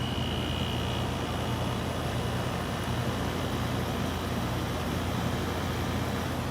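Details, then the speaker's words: 2014 Frigidaire air conditioner after a fan motor swap (bearings had worsened) and deep cleaning: on low fan, a steady low hum with an even airy rush, no rattles; fan quiet and running normally. "little fan listen to that do you hear anything from that thing nothing sounds so quiet nothing happens"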